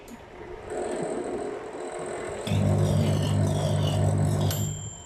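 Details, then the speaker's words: Samsung microwave switches on with a loud, coarse low buzz-roar from inside the cabinet but does not heat; fan ruled out as it still turns, suspected failed magnetron (heating element). "กลัวมั้ยครับเป็ดผมก็กลัวนะมันดังมาจากตู้เนี้ยเราก็ไม่รู้อ่าจากคลิปหลายๆคลิปบางคนก็บอกว่าเป็นที่พัดพัดลมบ้างพัดลมยังเห็นอยู่เลยคิดว่าไม่น่าจะเป็นที่พัดลมนะ"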